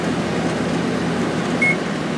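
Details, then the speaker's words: 2003 GE 12,400 BTU Samsung-made air conditioner, cleaned and reassembled, fan only on high during compressor delay, drawing 1.33 A and 160 W: smooth, even air rush with no rattles or scraping; normal high-speed fan. "That's on high fan. Pulling 1.33 amps and 160 watts."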